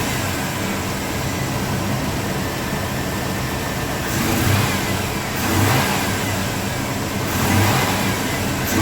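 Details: 1997 GMC Yukon 5.7 L after new solenoid-actuated parts were pressure-tested and fitted. Steady idle, then three clean throttle snaps rise and fall smoothly without stumbling or knocking while intake leaks are checked. Normal running.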